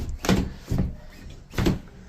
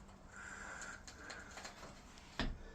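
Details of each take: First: Aluminium door with loose top closer arm after being sped up without servicing: three harsh scraping drags in about two seconds as it swings; door dropped and rubbing hard at the bottom, needs full service. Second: Aluminium door after its closer was serviced (it previously rubbed at the bottom and the top arm was damaged): quiet hiss and faint ticks as it swings, then one soft latching thud; smooth door closing.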